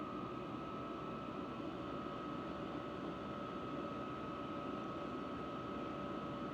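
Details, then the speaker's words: Vevor diesel heater after a sound-dampening quieting mod, turned up to level eight, output temperature rising: even, steady blower rush with a constant mid-pitched hum and no audible fuel pump ticking; normal high-setting operation. "the only sound is the blower it's moving up 132 wow we are kicking out some hot hot air here"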